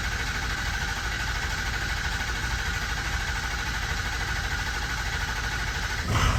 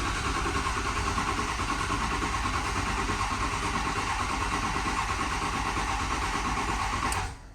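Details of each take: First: 2006 Ford 6.0 Powerstroke diesel, crank no-start that two shops couldn't fix, after fixing stand pipes, dummy plugs, an injector and two new batteries: steady even diesel clatter holding after it fires; starts and runs normally. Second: 2006 Ford 6.0 Powerstroke diesel, crank no start after two other shops, weak batteries: steady cranking about three turns a second for seven seconds, never catches; not producing high-pressure oil, low injection control pressure.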